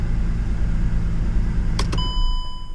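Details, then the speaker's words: 2009 Mercedes-Benz C350 after fixing a coolant temperature sensor issue: even low idle rumble with no fan roar, then engine shut off and chime; code still on but running better, fans not kicking on. "so the codes still on you can see down there but it's obviously running better and the fans not kicking on"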